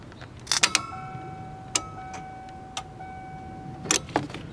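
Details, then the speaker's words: 1992 first-generation Ford Explorer, key in run position, battery connected: a few crisp relay clicks at key-on over a chime, then a lone fuel pump relay click-off about a second later; normal fuel pump prime. "I'll connect the battery. You'll hear the relays click. Then about a second later, you'll hear the fuel pump relay click off."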